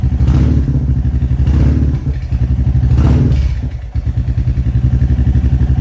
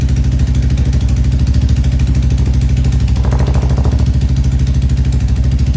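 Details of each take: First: Royal Enfield Classic 350 Reborn just fitted with a 410 big bore kit, in neutral on its second startup after the exhaust was remounted to fix a leak: an even single-cylinder thump about four beats a second with no ticking or puffing. This is a healthy idle. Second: Royal Enfield Classic 350 just fitted with a 410 big bore kit, on its first startup. Loud single-cylinder idle thump with a sharp puffing tick on every firing pulse, from an exhaust leak at the header joint.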